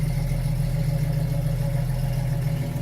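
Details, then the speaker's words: Restored 1995 Jeep Wrangler YJ, 6-cylinder, 111K miles, 5-speed manual, new complete exhaust, heard at the tailpipe: deep, steady idle rumble with no puffing, ticking or hiss; runs great, good oil pressure, exhaust leak-free. "Start it up. Runs great. Really drives good."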